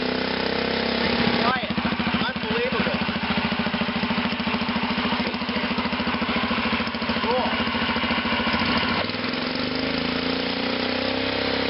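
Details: 1941 DeVilbiss air compressor driven by an 8 hp Kohler cast-iron gas engine, started first pull: steady, even chuff about three and a half beats per second without stumbles, then winds down; healthy normal running.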